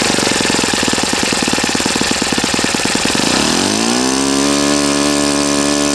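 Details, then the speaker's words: Customer's Saito FA-40a four-stroke glow engine on 11x6 Master Airscrew prop, Omega 10% fuel, new glow washer, valves set, high-speed needle opened 2.5 turns: rapid even popping at low speed climbing smoothly to steady high howl, no stumble; normal healthy running. "okay all right so rush you can see your inch and it's fine it's healthy it runs properly it's a nice engine"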